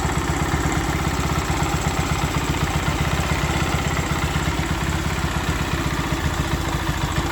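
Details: Honda Sonic 125 that would not start, with new carburettor: fuel line replaced and fuel filter added, now it starts, part left off to watch for flooding. Steady, even idle putter with no misses or knocks; normal idle.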